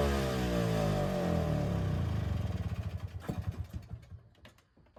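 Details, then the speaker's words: Attex 6x6 two-stroke with Rockwell motor and new lighting coil, after choking and possibly loaded with fuel: revs hang high, then wind down into ragged pops and are hard to kill. The engine may be somewhat running away with a high idle. "I have no idea why it's running like that. It might be somewhat running away. It really kind of took a lot to kill it there."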